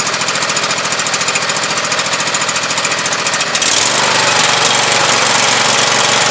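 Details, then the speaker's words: Husqvarna YTH2448 mower with a 24 hp Briggs V-twin: uneven popping and sputtering pulses at about two per second over the engine note. One cylinder is weak or dead, misfiring; owner plans a compression test. "the main thing is this pop pop in sputtering sound and so far I traced it down to this cylinder on this side being a week"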